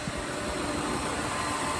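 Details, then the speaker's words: Flood-salvage Cadillac DeVille V8 at idle: even, steady, smooth low hum with no knocks, ticks or misses; the engine sounds healthy. "Oh yeah, she runs like a dream. Smooth as silk."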